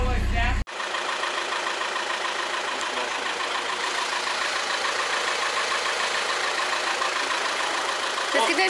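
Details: 2004 VW Golf V 1.9 TDI BKC 105 hp, 6-speed manual, whose original KKK turbocharger failed and was replaced: a steady diesel idle, an even clatter about three beats a second with a soft hiss and no whistle or rasp; healthy.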